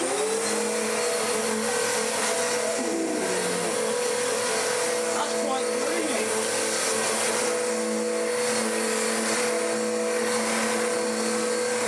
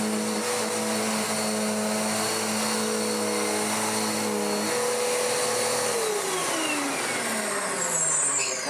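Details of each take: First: Dirt Devil DD6114 (Electrolux Contour clone) upright vacuum, first run before restoration, brush roll down at short-pile height: steady motor whine with a rough droning tone; oversized drive belt drags on the brush roll drive, hot-belt smell, abysmal suction, possibly decade-old bag. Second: Dirt Devil DD6114 vacuum, an Electrolux Contour clone, long stored in a shed, before restoration, after clearing a clog: steady motor whine with smooth belt hum, less grumbly than before, pitch sliding down at switch-off. Normal running.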